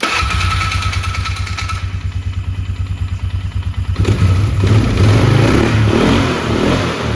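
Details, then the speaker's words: 2002 Polaris Sportsman 500 H.O. after fitting a new upgraded primary clutch and belt, replacing a worn primary that let the belt walk: engages with a steady thump about three a second, revs smoothly, no belt slap; quieter, healthy clutch. "Perfect. So, clutch fixed it, for sure. Clutch is also a lot quieter than the original one,"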